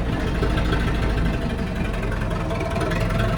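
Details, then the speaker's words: Zetor 7745 tractor diesel just after a -10 °C start with 2000 W coolant preheating, light throttle; low even rumble, no knocking or misfire, purring like a cat: normal cold-start idle. "A pradie si ako mača."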